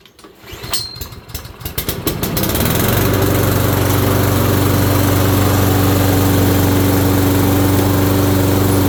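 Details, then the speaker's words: Toro rear-wheel-drive mower, belt replaced, with a crack seen: fires after a few pulls and holds an even idle with a steady droning hum underneath; transmission gears dragging. "Gears dragging in that one, you can hear it."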